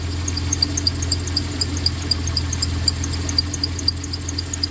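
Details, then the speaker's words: 1993 Dodge Caravan, blown head gasket previously repaired, at idle: sharp high chirps about four per second over steady idle hum; belt squeak, suspected from the tensioner the belt rides oddly on; new belt, tensioner and idler then fitted. "You hear that? Who's squeaking? I think it's that tensioner. It's riding kind of funny on the tensioner."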